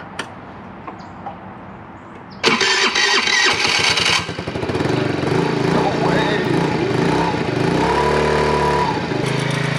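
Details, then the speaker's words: Moped small engine catches right away after a quick crank and settles into a busy, fairly even putter; healthy cold start. "thing started right up let's go"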